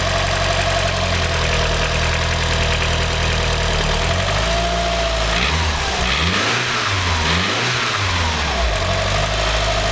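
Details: Mitsubishi 4G63 MIVEC 2.3-litre petrol engine idling, blipped and dropping back, with a dull slap-like knock throughout. Owner suspects piston slap; the cause was never found.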